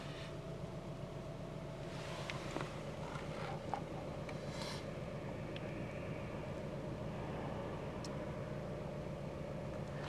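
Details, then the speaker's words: Car just back from a costly repair, heard from inside the cabin: low, steady, smooth idle hum with no knocks or misses; it runs like it used to. "she's running beautiful"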